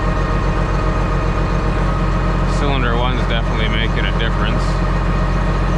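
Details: John Deere 724J loader common-rail diesel idling during a cylinder cutout test: heavy, slightly uneven, lumpy beat, one cylinder not pulling its weight; cutting cylinder two makes no difference, so its injector or wiring is suspected.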